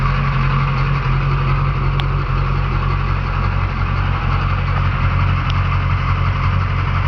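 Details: Truck engine, low uneven idle with lumpy, wavering beat and no steady rhythm; rough idle, cause not pinned down, a new fuel pressure regulator suggested but unconfirmed.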